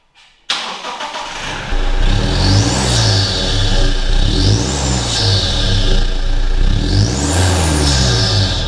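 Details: Toyota Fortuner diesel just fitted with a BR Customs sealed airbox and stainless steel snorkel: it cranks, catches quickly and settles into a steady rhythmic clatter with a few rev blips; healthy start and idle.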